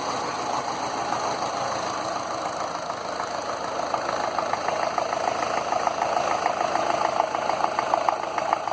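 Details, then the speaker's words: Land Rover Series 2a 88 2.25 diesel, still warming up, oil overfill fixed: idle with clattery tick about two per second coming and going unevenly, with puffs of grey smoke; owner suspects one faulty injector, unconfirmed. "But as you can see here with the puffs of grey, one injector is not right. So I'm going to have to test which one it is."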